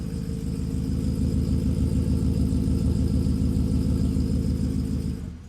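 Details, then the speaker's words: 1975 Land Rover Series III V8, recently rebuilt, first start on a new performance exhaust without the old slip joint, running on choke: deep, even burble at steady idle, regular beats, then cuts out; healthy. "Oh, that sounds awesome."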